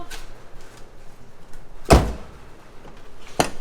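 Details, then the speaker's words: Tyler's Miata door after repair: single solid thunk and latch click, no scraping; door no longer sticks when opened. Door closing cleanly. "it doesn't stick anymore when you try to open it"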